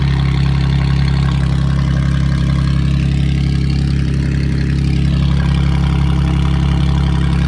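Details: Car whose no-start was caused by a clogged catalytic converter, running after the catalyst was removed: a deep, steady idle with an even low pulse and no misses or knocks. Starts and runs cleanly.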